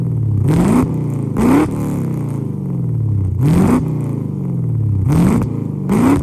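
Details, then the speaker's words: Lexus IS300 with LS V8 swap, untuned, first start/drive: five blips, revs climb then stumble and sag to lumpy idle; bogs and breaks up on rev, owner expects a tune to fix it. "It wants to bog out, and every time we try to rev it up, it kind of breaks up a bit. But once we get a tune going, I think all that will be solved."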